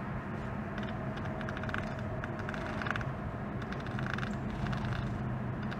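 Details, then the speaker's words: BMW M3 Competition on a road drive: an irregular dry scratching over the road rumble as the shaft turns. A failed parking brake cable clip let the parking brake cables touch the driveshaft. "so the completely real scratching sound you just heard is from the parking brake cables touching the drive shaft"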